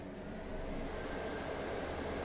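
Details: Ford AU SOHC Intech turbo after rebuild, scan-tool output test mode before first start, engine off: steady, even rushing of air with no rattle, scrape or wobble; radiator fan running smoothly on high speed, normal.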